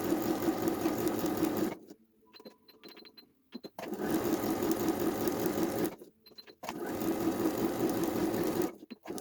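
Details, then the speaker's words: Janome 2030QDC computerized sewing machine after servicing with spray lubricant and grease: three even bursts of steady quick stitching with brief stops, quiet, no knocking or grinding; runs smooth. "You can see now, huge different machines. It's running perfectly smooth. Big different so far."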